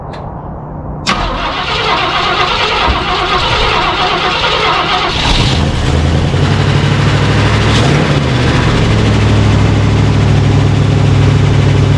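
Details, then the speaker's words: 1968 Ford F100 parked about 12 years, cold start with fresh oil: the starter churns about three turns a second and the engine barely catches, never reaching a steady idle; the fuel pump was switched off, starving it of fuel. "I don't have the fuel pump off we're not getting filled okay that's why I ran for a second try it now give it a couple pumps fuel pump was off"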